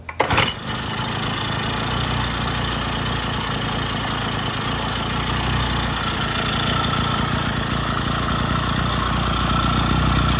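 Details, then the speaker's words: Vintage Jacobsen two-stroke reel greens mower restarting on old spark plug, governor not yet sorted; short pull, catches straight away, steady even putter for ten seconds; starts and runs fine. "Now we got to figure out the governor and the choke. Sounds pretty good. See, we got it off choke. Let me see if it will restart."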